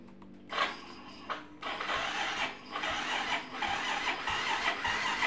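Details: Yamaha Mio M3 scooter with good battery: electric starter whirs weakly in short bursts but the engine won't fire, though it starts on the first kick; owner suspects a compression leak, not confirmed.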